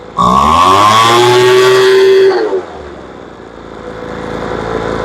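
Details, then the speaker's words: Poulan Pro two-stroke leaf blower after mixture adjustment of about 1/8 turn: revs high and screams, then drops to rough idle; throttle pickup still a little slow. "She still comes up a little slow."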